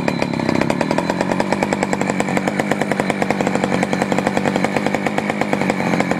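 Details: Poulan 4200 chainsaw, warmed up after a cold start, reported running a little lean: fast, even, slightly crackly and thin two-stroke idle putter while the bottom low-speed screw and idle are adjusted. Lean low-speed mixture suspected.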